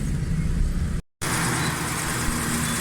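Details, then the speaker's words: Suzuki Cultus three-cylinder petrol after carburetor butterfly, power jet, vacuum and distributor faults were fixed: steady, even low rumble with no misses; smooth healthy idle. "Start है, बिल्कुल ज़बरदस्त sound, किसी किस्म की कोई missing, कोई problem कुछ भी नहीं है।"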